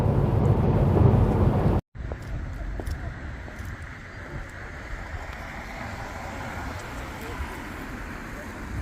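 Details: Jaguar XK driven at steady cruise after wheel bearing repair: even low road rumble with no drone or hum building with speed; the previous bearing drone is gone.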